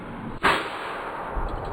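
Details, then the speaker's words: Toyota MR2 with a swapped K24 engine on a Haltech Elite 1500 ECU, first start attempt: one sharp, loud bang during cranking, then cranking continues. Backfire likely from incorrect ignition timing. "I literally looked at it and it just Fireball to the face backfired why did it backfired ready yep first start baby let's go it was a it was a timing"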